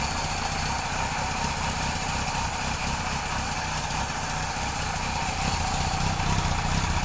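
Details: Kawasaki KZ police motorcycle on its stand, started with no choke, fuel delivery redone, charging not yet confirmed: even, quick patter at a steady sewing-machine idle with no stumbles or knocks. Four-cylinder running smoothly.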